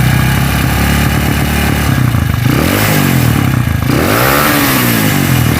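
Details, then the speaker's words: Honda CB motorcycle with stroke-up engine, vibrating badly and running rough; revving up and down gives a coarse, rattly, uneven note that grows harsher with revs; worn connecting rod. "karena ini yang bermasalah adalah di bagian setange kalau lemon menyebutnya seperti itu ya karena waktu tiga sedikit-sedikit hentakannya ke hentakannya kemlitik itu makin kenceng Rek Rek Rek"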